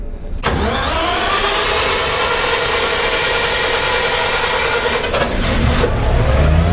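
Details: Generator given a final start-up after a minor service: it catches after a short crank and settles straight into a steady, even run with no knocks or misses. Normal generator start-up.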